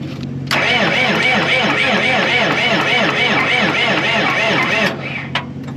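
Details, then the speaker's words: Cummins 5.9 12-valve diesel motorhome, listed no-start, batteries freshly charged: steady cranking about four seconds with even compression pulses but no firing; no fuel, electric fuel shutoff solenoid too weak to lift lever, suspected bad unit. "didn't come up so I guess maybe we got a bad unit check this out this thing is weak"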